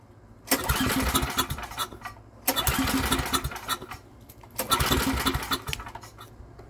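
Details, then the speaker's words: Estate-sale generator, after spark plug cleaning, choke fully on then being taken off, with more starting fluid; three short bursts catching and sputtering about a second and a half, then dying each time. "choke is fully on let's get it off of that because it tried to start a little bit more starting fluid let's hope it stays going"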